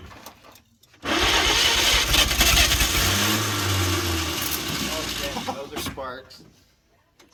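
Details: 1938 Chevrolet Master Deluxe, sitting since the 1970s: a dragging, uneven crank that churns for several seconds without catching, a slow crank and no start; owners suspect low compression, a weak starter and possible flooding.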